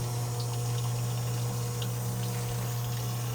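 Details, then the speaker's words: Electric fuel pump with fuel too low to submerge it, the cavity not filling: low steady hum with a gurgling, uneven wash of liquid; the pump keeps sucking air and struggles to pull in fuel (cavitation). "Because it keeps sucking in air. And this is my point that I'm trying to make. Like, this stuff sucks in air, and no, the fuel pump is not submerged. It's not even filling this cavity up. It's having a hard time pulling in fuel."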